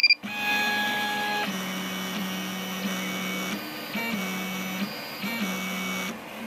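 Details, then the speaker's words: Rostock MAX v2 delta 3D printer before Astrosyn dampers are fitted on its three axis stepper motors: loud droning motor tones that jump in pitch as moves start and stop, resonating through the frame. Other printers run in the background. "okay this is just a short video to illustrate the sound of the rostock max before these little astrosyn dampers are installed on the three axis motors"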